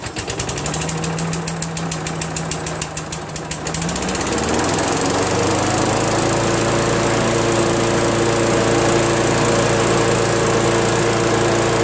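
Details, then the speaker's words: Craftsman self-propelled vac chipper blower with 6.75 Briggs engine, after a thorough carburetor cleaning and a new fuel seat, on its final leak test: it fires up, stutters briefly, then settles into a steady, even run with a clean exhaust beat; normal running. "nothing runs great"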